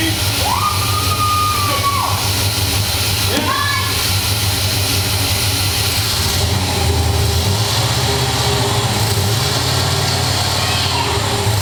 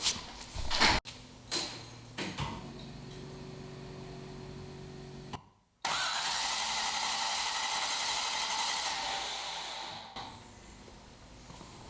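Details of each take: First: Rebuilt 1973 International Scout II with fuel injection, first fire after priming and fluid fills: the engine catches and holds a steady, even idle with no obvious knock or miss, under some background noise; it runs properly. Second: Rebuilt 1973 International Scout II, fuel-injected, first-fire attempt: bursts of starter cranking with no catch, then long hiss; turns over but won't fire. Spark confirmed, fuel leak thought fixed, fuel reaches pump but not engine; owner also wonders about timing.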